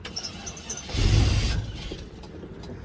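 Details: 1995 GMC Vandura 2500 box van, 5.7 carbureted V8, with a bad fuel pump; the gas pedal is pumped, then a short crank catches briefly with a roar and dies within half a second, nearly starting but not running.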